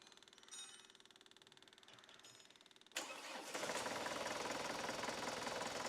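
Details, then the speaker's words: Chevrolet Tavera diesel with an added electric feed pump supplying the fuel injection pump, cold start. The starter cranks briefly, then the engine catches at once and settles into a steady diesel clatter, an easy and healthy start. "Start ചെയ്താലൊന്നും ഒരു പ്രശ്നവുമില്ല പക്കയായിട്ട് start ആകും"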